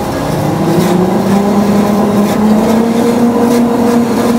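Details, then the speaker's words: Do-All vertical band saw after belt replacement, run on phase converter at slowest speed, which used to squeak badly: steady even motor hum, no squeal or chirp; normal running. "it would squeak really bad at its slowest speed that's it well slowest yeah slowest in uh medium that is"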